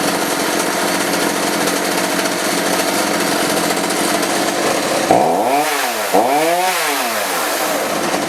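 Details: Roughly 35 cc two-stroke chainsaw with 14-inch bar after replacing the bad spark plug and a carb adjustment; steady high buzz, then two throttle blips with clean rises and falls, runs and revs normally.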